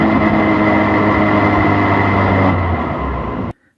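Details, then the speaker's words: 2004-2006 BMW 116i E87 N45 race car, no sound deadening, decelerating: low moan with faint higher whine; diff whines a bit but most noise seems from clutch or gearbox, possibly clutch assembly error, unconfirmed; transmission moan on deceleration. "does whine a bit but that's not where the majority of the noise is coming from it's coming from the either the clutch or the gearbox"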